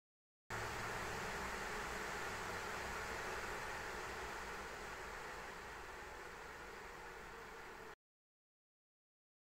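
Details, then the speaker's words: ASUS ROG Strix RTX 3090 at stock settings under benchmark load: steady loud rushing airflow easing off over several seconds, louder than expected; owner suspects turbulence from the fans blowing air onto each other. "going to be honest with you right now that was a lot louder than I thought it was going to be now I'm starting to believe that there could be turbulence with the fan noise hitting fans on the other fans"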